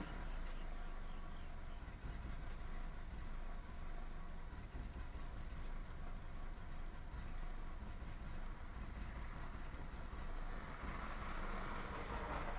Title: 98 Toyota Camry rough idle